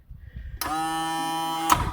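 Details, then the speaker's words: Brand-new boat bilge pump, rated about 500 litres a minute, switched to manual. Light on, and a crisp electric motor buzz runs evenly for about a second and stops; the pump is working normally. "Or if I go over here and rock the switch over to manual, light comes on, bilge pump is pumping."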